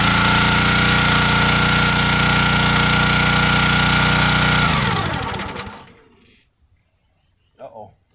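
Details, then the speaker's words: Country Line 25-ton gas log splitter, 6.5 hp 196 cc engine, floods on startup with gas coming out the exhaust; runs at a steady beat under five seconds when fuel turned on, then winds down and stalls; carburetor suspected. "try to turn the gas on and it just shut off so let's see what's down inside the carburetor"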